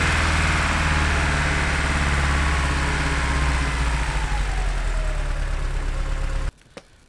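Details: Truck that was recently revived, running with Sea Foam added to the gas tank. An uneven, pulsing idle that stutters now and then before shutting off: rough idle, with vacuum leak, spark or injector causes suspected.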